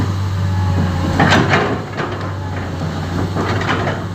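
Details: Komatsu PC10-8N1 diesel that would not start now idles with a steady, even low drone and a few light clunks. This is after replacing the engine controller.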